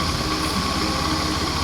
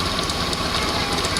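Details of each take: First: Honda Scoopy FI scooter after repairing a CVT clutch whose linings had come loose (glued, not replaced); steady, even idle with the rear wheel no longer turning at idle, no slipping or dragging: clutch disengaging properly, normal idle. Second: Honda Scoopy FI scooter at idle, brakes checked free: steady rough, gravelly churning from the CVT case, rear wheel spins without throttle and the engine dies when the brake is applied; detached centrifugal clutch shoe lining.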